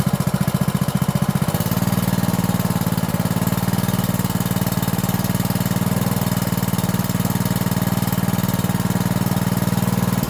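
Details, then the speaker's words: 5.5 hp single-cylinder petrol water-pump engine after carburetor cleaning and blowing out the air-passage rubber: quick even putter about four beats a second, no stumbles; idle now smooth, earlier stumbling gone. "เห็นมครับหลังจากที่เราได้สตาร์ทเครื่องลองดูเห็นความแตกต่างอย่างชัดเจนครับหลังจากที่เราได้ถอดยางตัวรูอากาศออกมาเป่าล้างทำความสะอาดครับก็ทำให้เครื่องเดินเรียบขึ้นนะครับไม่สะดุดเหมือนก่อนที่เราจะได้ถอดออกมาล้างนะครับ"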